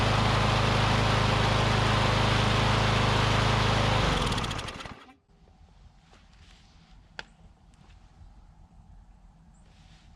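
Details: Briggs & Stratton Classic push mower engine (newer plastic-cap version), curbside find, running on its own fuel after pickup tube debris apparently cleared; steady even beat about four seconds, then shut off and winds down; oil burning off muffler, possibly from being on its side.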